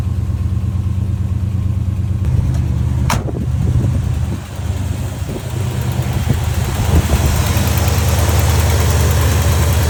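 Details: 1971 Ford F250, long parked, after a winter ignition and carb tune-up for a no-start: a low, even rumble settles in after a sharp bump and holds a steady idle with no stumbling. Normal idle.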